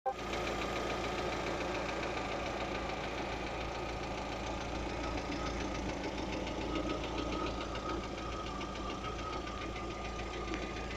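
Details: Lada Vesta at idle: fast light ticking knock about three to four per second over a steady idle, from inside the engine, owner asks what could be knocking, cause unknown.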